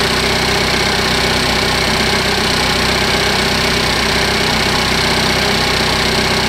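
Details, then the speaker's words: 2015 Cadillac ATS Luxury 2.5L RWD, junkyard used engine freshly swapped in, warming up at idle with AC compressor on: steady even idle with light fast ticking following engine speed; normal injector tick, engine healthy. "This one sounds good. You can hear all the injectors, so if it's picking up some abnormal, ticking sounds. That's all I hear. I hear the injectors."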